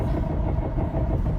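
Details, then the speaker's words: Car idling right after something came off its underside, shortly after a shop visit: heavy, deep rumble over the engine with no clear rhythm; something underneath loose or damaged, cause unknown. "Something just literally came off the bottom of my car. I don't know what's wrong."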